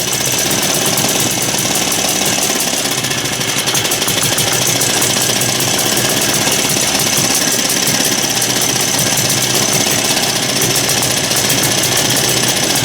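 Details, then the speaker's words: Small single-cylinder engine: rapid sharp chatter, firing unevenly; rough running; suspected dirt in the carburetor with a blocked jet; carburetor likely needs cleaning. "she's got some spark we'll say I'm trying to reach here and grab the throttle and that stupid thing's right there I should put something over it well sounds like it's got some dirt in the carburetor"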